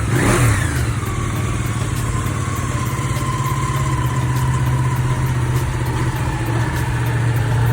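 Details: Ducati 959 Panigale after repair of an engine knocking sound. Revs blip then settle into a smooth, steady drone with an even low beat and no knock or rattle; engine now running clean.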